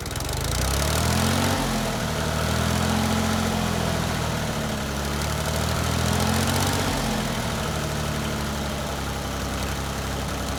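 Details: 1988 Yanmar 336D diesel tractor, unrun for 6 years, after fuel, oil, air filter and coolant checks, throttle at three quarters; steady fast-idle chug with slight rise and fall in speed, no knocks or rattles, healthy.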